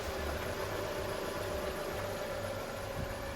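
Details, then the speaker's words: Renault Megane 2 petrol engine at idle on a cool morning with a thin steady squeal over the rumble from the alternator belt, early-stage wear, running smoothly without vibration; belt to be replaced. "Вот сейчас слышно машина заведена утро немножко прохладно и что правильно свистит ремень ремень свистит который на генератор"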